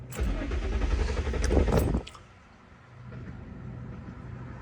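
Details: 2005 Infiniti G35, ECU fuse repeatedly blowing, P1065 code, after swapping IPDM relays, fans still running: starter churns about four beats a second for two seconds, engine never catches; crank no start, cause unconfirmed.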